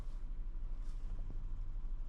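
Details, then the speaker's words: 2005 Mazda 6 with start-and-stall complaint and misleading P0335 crank sensor code: starts right up, low even idle with steady rumble, no misses or stalling; mechanic suspects a bad mass airflow sensor. "Starts right up. And it's idling lower. Let's see if it's going to stall out. This car starts."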